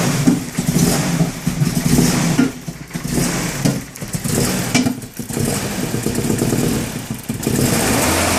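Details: BMW E30 318is (M42/M44) rough idle, a lumpy four-cylinder beat swelling and dipping every second or so. ICV cleaned and crank position sensor changed; has a coil-on-plug conversion and the owner suspects a coil pack, unconfirmed.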